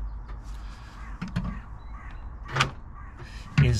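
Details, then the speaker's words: Range Rover Sport L320 insurance write-off, door lock actuator removed and refitted: a few sharp isolated clicks with no latch clunk; locking mechanism doesn't move, owner concludes a new actuator is needed. "the little white uh arm but for some reason this mechanism here this should be moving but it's not and I don't know why so I think I have to buy a new actuator"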